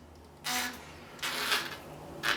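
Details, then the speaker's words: Bicycle turning handlebars: three short, hissy creaking rubs, one per turn, from overly long slack control cables; fix by trimming the cables. "you see your cables usually they would make the creeks as you are turning with your bike like this"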